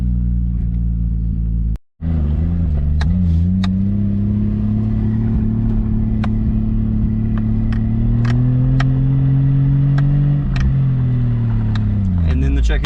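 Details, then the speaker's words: Lexus IS300 with 2JZ-GTE single-turbo swap, fuel system replaced, new OEM coil packs fitted; steady low drone drops out completely then picks back up and sags, still cutting in and out. AFRs about 16.5 at idle; owner may test the igniter. "yep it's still doing it is still cutting in and out try this again yep and that's what it's doing"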